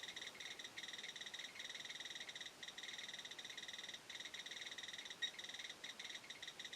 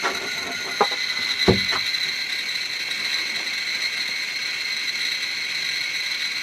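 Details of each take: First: Chinese BR-6B Geiger counter side by side with a Soeks 01M on a mildly radioactive sample: fast, dense run of sharp little clicks; counting normally and accurately. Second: Chinese BR-6B Geiger counter placed directly on a strontium-90 check source: clicks merge into a steady high-pitched buzz with no gaps; meter saturated at its 99.99 µSv/h maximum.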